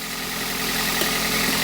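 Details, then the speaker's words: 1998 Chevrolet Prizm/Toyota Corolla petrol engine idling with a sharp, hissy puffing over a thin low hum: exhaust manifold leak at the collector, where someone had tried an earlier repair; manifold is being replaced. "that's where our exhaust leak is you can probably even hear that oh"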